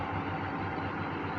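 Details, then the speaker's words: Vehicle at a Copart auction yard, just after start: uneven, lumpy idle with stumbling, loping beat; misfiring hard, smoke checked; ticking later heard, possible rod knock suspected. Rough idle, cause unconfirmed. "ooh oh she's misfiring hard that's not good is there smoke"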